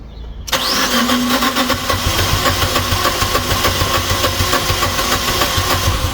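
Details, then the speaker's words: Fiat 500 that will only start when bump or jump started, with many parts reportedly replaced: starter cranks hard with ragged attempts to catch but never runs. Owner suspects an immobilizer fault, a fuel fault or timing being out; unknown. "It tries to fire up. I don't know whether it's an immobilizer fault, fuel fault, out of time. It could be anything."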